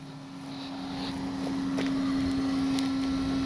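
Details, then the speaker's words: Hangar 9 Valiant 20cc-size electric RC plane on the ground with motor armed: a small steady hum at one even pitch under light background noise; the ESC's top-mounted cooling fan, which starts when power is applied, running normally. "you may hear that little humming sound. That's the fan on top of that ESC running. As soon as you apply power, that fan's going to start. Keeps that ESC running cool."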